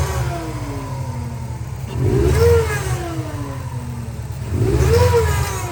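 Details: Subaru Impreza WRX NB (TA-GDA, June 2003, 148,345 km), EJ205, 5MT: each rev brings a rising, wavering whine and rough whirring that falls away with the revs; failed turbo with a shredded compressor wheel, axial shaft play, and coolant and oil on the exhaust side.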